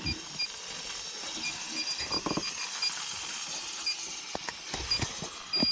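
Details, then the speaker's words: Goodman AC system not cooling: electronic leak detector beeps rapidly and shrilly over rustling, alarming at the bottom corner of the evaporator coil; refrigerant leak found, coil needs replacing. "All right, so that leak down here in this corner, man, I know you can hear. Right on that bottom down, man. All So that coil gonna have to be replaced."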